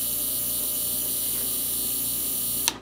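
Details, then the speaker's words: Sim2 Domino 80 DLP projector in standby, no light, ignitor flashing: steady high-pitched buzz then abrupt cutout from the power supply; failed filter capacitors (three 47uF 50V and main 100uF 450V) found, replaced. "I'm almost waiting for it just to go bang that's the noise that's obviously not a good noise"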